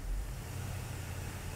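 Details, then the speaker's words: 2012 Range Rover 5.0L direct-injection V8, cold, with MIL on but no codes and a restricted performance message: after a hard start, the idle runs low and uneven, sagging and surging, struggling to stay running; rough oscillating cold idle, cause suspected, not confirmed. "it did it so it's it's struggling to stay alive and it has an oscillating rpm"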